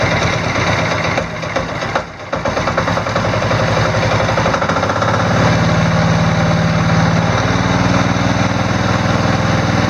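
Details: Diesel Sears off-road mudding mower/tractor after installing a new alternator (60 A per its certificate), battery at 12.4 V: a short crank, then it catches and settles into an even diesel idle clatter with no stumbling. It charges, with the battery rising to about 13.1 V.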